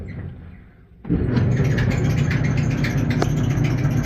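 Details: Maytag Atlantis dryer running: heavy low rumble with a repeating high squeak over the drum turning, plus thunking and a broken tumbler fin; fixed in a repair.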